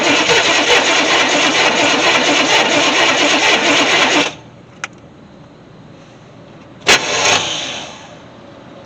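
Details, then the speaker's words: 1964 Chevy Impala SS convertible that sat in a shed 35 years: gas poured down the carburetor with spark present, long steady cranking then brief bursts as it tries to catch but won't keep running; cranking, no start. "I heard it trying [Music] definitely trying"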